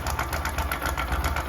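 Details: Bajaj Discover 100 BS3 motorcycle, before repair: fast, evenly spaced metallic clatter over the idle; slack, stretched timing chain, tensioner tightening failed, fixed by replacing the chain.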